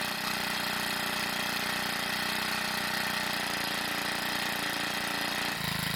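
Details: Troy-Bilt 4-cycle edger, hard starting, needed manual priming through air inlet: once running buzzes steadily with even note and clean rev change, no misfire; valve clearances suspected as cause of the hard start.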